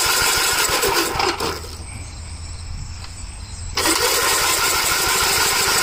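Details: 1961 or 1973 Gravely tractor engine without a governor, cool weather: turns over with rapid steady chugging but never catches; very little gas in the tank, crank no start from lack of fuel.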